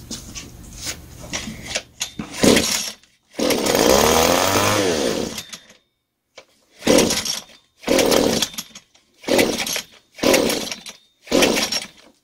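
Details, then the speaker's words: Butane-gas brush cutter engine fires with short high buzzing bursts after each pull but dies within a second and won't keep running; owner suspects a faulty carburetor (not confirmed) and rebuilds it. "Những gì bạn thấy bây giờ là một động cơ sử dụng khí đốt. Nó khởi động, nhưng nó không hoạt động?"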